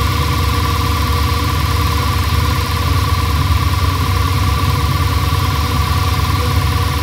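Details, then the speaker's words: Audi S6 C6 V10, first start after replacing both high-pressure fuel pumps (one leaked at the pressure sensor connection) and clearing fault codes: smooth, even idle with no knocks, misses or surging. "So, jetzt habt ihr den Start gehört. War eigentlich in Ordnung, hätte ich gesagt."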